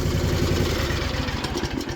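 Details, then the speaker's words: Kawasaki FR730V V-twin on a Cub Cadet Z-Force SX60 mower, rebuilt about 14 months earlier: idle starts steady then turns lumpy with missing pulses; won't rev up and bogs under blade load, as if running on one cylinder. "I can't get it to rev up. So, right away when I put the blades on and I'm mowing, it just bogs right down and I got to go slow."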